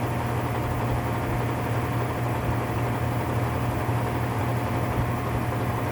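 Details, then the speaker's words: Whirlpool top-load washer (model 110…) with a grinding noise when the motor runs, run in manual test at high spin: steady low droning rumble with a rough, gritty edge; worn transmission gear assembly grinding, needs replacing. "Alright, so the issue with the washer is that it needs a new gear assembly. So that's what's defective on the unit."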